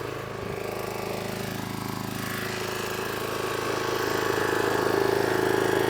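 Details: Single-cylinder power washer engine that previously would only run on choke, now with water on and new lance: steady, even beat slowly building a little, with no hunting or stalling; runs fine without choke.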